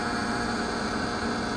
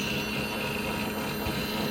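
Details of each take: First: 1995 Johnson/Evinrude J130TLEOA outboard on a 1979 Mako 20 run from a 12 V battery, after topping up trim fluid and bleeding air: steady, even electric motor hum, no sputtering; normal tilt/trim pump operation. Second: 1995 Johnson/Evinrude J130TLEOA outboard on a 1979 Mako 20 ft, tilt/trim powered from a 12 V battery via jumper cable: motor whine drops out, restarts, then strains steadily lifting; low fluid and air in the lines.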